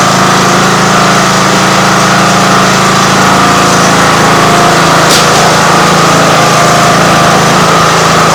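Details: Free Craftsman riding lawn mower, abandoned outdoors five to ten years, cold start on full choke with battery pack after cleaning: loud, steady small-engine drone with even low pulse, no misses or knocks; runs smoothly, normal running after cold start.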